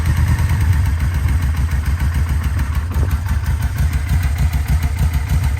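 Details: 2004 Yamaha VMAX V4 with 4,400 km, unstarted for over 15 years, after a full rebuild: deep, even idle with a steady lumpy beat, no misses or knocks; healthy running.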